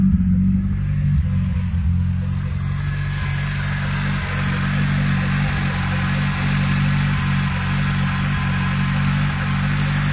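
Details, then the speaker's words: VW Golf 2 1.8 90 hp (GU engine) restarted after replacing hydraulic lifters (tappets): smooth, steady idle, the lifter clatter gone and the lifters primed quickly; camshaft and timing refitted correctly. "bon ça y est le bruit des claquements de poussoir est résolu il a disparu ils sont même réamorcés plus vite que ce à quoi je m'attendais c'est bon signe la voiture tourne bien"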